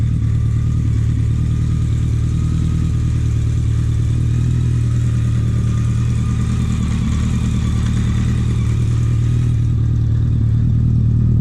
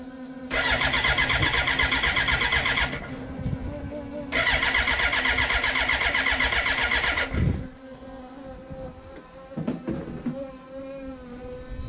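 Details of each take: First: BMW K100 four-cylinder café racer build, just started for the first time after the wiring fix: a deep, steady burble holds an even beat with no misses or rattles. A clean, healthy idle. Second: BMW K100 café racer build, fuel injected, ignition on and fuel pump running: two bursts of steady starter cranking at about four turns a second that never catch. Fuel can be smelled. No spark because the kill-switch positive supply, pin 10 on the ignition unit, was not connected.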